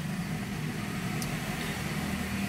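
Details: 2013 Kia Sportage 3 that cooled only intermittently, compressor not turning properly, after replacing the AC compressor solenoid control valve: steady engine idle with an even compressor hum, no rattles or squeals. AC now blows cold. Normal operation.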